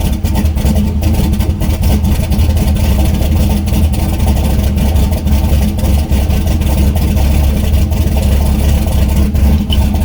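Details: Turbo LS V8 Miata, first start with new tune and coupler, not warm, fuel pressure too high, O2 sensor working: loud lumpy idle with stumbling beats; still running very rough, changes needed.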